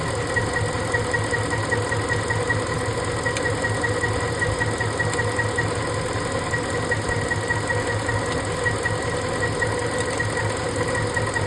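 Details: Ford 5.4 3V V8 with uneven idle, irregular stumble roughly every half second under a steady hum; cylinder misfire at idle, cause being traced around cylinder 7 injector, not confirmed.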